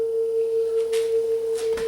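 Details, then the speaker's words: Sanyo dual cassette deck, second deck playing test tone: steady tone noticeably sharp, tape speed too fast; capstan motor speed adjustment on back of motor, wow and flutter also present. "oh that's really sharp look how high that thing is"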